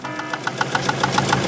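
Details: Ford ST170-powered Mk1 Escort petrol engine idling: sharp metallic ticks, about seven a second, from a cam lobe catching the rocker cover baffle nut; gone after the nut was shaved down with an angle grinder.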